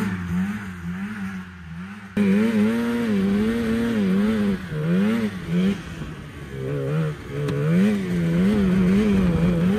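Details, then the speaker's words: 1987 Arctic Cat Cougar 500 snowmobile (Suzuki two-stroke), long sitting, run from an auxiliary tank: rough revving, pitch wobbling and sagging briefly under load; possibly cutting out, owner doubts carbs and suspects a firing problem. "it almost seems like it's cutting out it could be in the carbs still but I don't think so"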